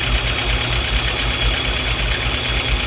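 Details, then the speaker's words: Peugeot Boxer Autosleeper camper on auto choke: loud, ragged idle with uneven low thumps and heavy air intake noise, hunting and trying to cut out. Suspected failed manifold air pressure sensor or vacuum leak leaning it out; rough idle. "So still running, but when the the auto choke goes off, it will put out. Hopefully you can hear the amount of air. So it's taking so much air in."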